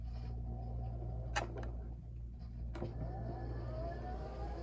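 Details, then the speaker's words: One-year-old Pride Go-Go Ultra X v2 mobility scooter driving at full speed, with short range on new batteries: a few sharp, unevenly spaced clunks over the motor drone from the right rear; worn transaxle drive shaft keyway. "so there is that still like clunk I hear it"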